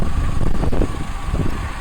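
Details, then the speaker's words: VW Beetle 2.0 petrol that misfired badly when cold, with number 2 coil burnt and arcing; after replacing coil, leads and spark plugs: low even engine rumble, no misfire stumble; running fine, fault code still stored. "So I've replaced the coil, the leads and the spark plugs, put it all back together, fire it up. Seems to be running fine."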